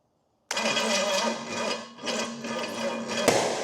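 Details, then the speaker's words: Pontiac 455 V8 ($1,500 engine) on first start-up for a 1969 GTO swap, distributor timing being adjusted, starter solenoid sticking on: catches roughly with uneven coughs and a sharp pop; timing suspected off. Popping and coughing while starting. "Might have to adjust on our timing some from the sounds of it and looks of it. Can't tell if we're advanced or retarded or what."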